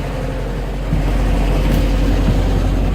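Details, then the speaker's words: Atomic 4 inboard boat engine, which earlier would not start with all spark plugs in, now running with plugs reinstalled and started unchoked by jumping the solenoid; a deep, even, steady rumble with no rattles or blowing. It sounds much better, though a gasket needs replacing. "I didn't choke it so you wanna talk about a big difference yeah I gotta make a new gasket for that oh it sounds so much better"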